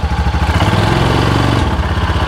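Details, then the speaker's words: Cub Cadet Challenger 500 UTV (HiSun), believed to be a 2013, won't move after a wet clutch replacement. Revved in neutral, it rises and falls in an uneven, jerky surge; the clutch can't be turned by hand. The primary clutch appears seized and misassembled. CVT primary clutch failure. "not want to do anything so there's something going on with this clutch let me should it back off we're in neutral I can't even I can't turn the clutch"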